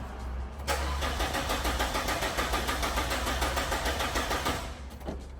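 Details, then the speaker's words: Abandoned 1992 Citroen XM with PRV engine, cranking after long sitting: steady rhythmic cranking about three beats a second with even compression pulses, never fires; fuel pump suspected, not confirmed. "Okay. My guess is probably the fuel pump. Right, just from sitting."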